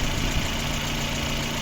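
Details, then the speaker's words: Lada Granta brought in for weak pull on petrol and LPG, a lean-mixture fault code and valves unadjusted for about 15,000 km: even, settled idle with a steady low pulse and background hiss. It runs evenly with no misfire and a quiet cylinder head, normal idle. "Працює рівно, не троїть. Все чудово. Головка працює тихо."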